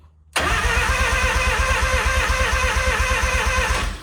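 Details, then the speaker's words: Mazda RX-7 rotary, main harness dead, starter jumped at the relay: starter spins in a quick even chugging rhythm about three seconds without firing; cranks but no start, no power to the ignition. "so we have power to starter okay starter is working technically but now I need power to the ignition right"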